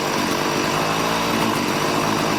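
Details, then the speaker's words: Warm two-stroke weed eater with a replaced carburetor, being tuned to cure bogging: a high-pitched buzz holding steady speed with no bogging or surging after the mixture was leaned until it nearly died, then richened. It runs clean and smooth. "it's nice and smooth I'm gonna leave it at the smooth and go a little more like a sixteenth of a turn"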